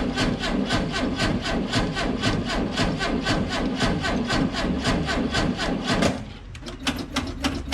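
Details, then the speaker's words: VW bus with carburettors, cold-blooded, unused for about a month in cold weather, jump-started with a nearly 3-year-old NOCO GB40: slow, laboured cranking at about two turns a second for six seconds, then it fires; weak cranking from a low battery. "It was cranking a little weak. I'll admit that's not cranking over quite as strong as you'd want it to, but it got the job done."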